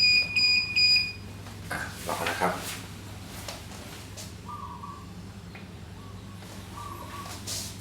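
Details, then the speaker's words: DJI Phantom 3 remote controller updating firmware from a flash drive, light turning blue, taking about 5-6 minutes. Three quick high beeps then quiet: the normal firmware update in progress tone. "เสียงนี้คือเสียงการอัปเดตนะครับปล่อยไปเรื่อยๆครับ"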